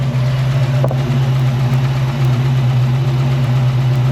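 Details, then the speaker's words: 1968 Mustang 302 V8 after fitting a Pertronix Flame Thrower distributor and coil and Moroso plug wires, timed close to its previous mark: deep steady burble at idle with no misses or knocks. It idles healthily. "It sounds like it's idling happy."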